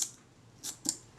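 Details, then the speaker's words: Kodak Retina IIIc (type 028) shutter during servicing, at 1/15 s after adjustment on a shutter speed timer; it had sounded slightly slow before: crisp, clean clicks with a quick open and close and no drag. Now firing properly. "Okay, well that seems quite good. This is a 1/15."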